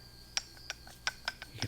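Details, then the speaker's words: Jeep CJ-7 front Dana 30 axle being dismantled, with the axle shaft pulled out and worked by hand: sharp metallic clicks and knocks, about five in two seconds. The U-joint is completely worn out; new chromoly axle shafts are coming. "Hear that? That is the U-joint. So these things are completely shot."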